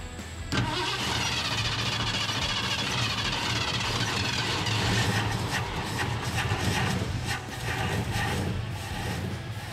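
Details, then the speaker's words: Old Ford extended-cab truck of unknown year, started in cold weather. It catches after a short crank and settles into a steady, even run with no rattles or knocks. The fuel pump now works; timing may need adjusting. "guess the fuel pump started working it wasn't it was not yesterday"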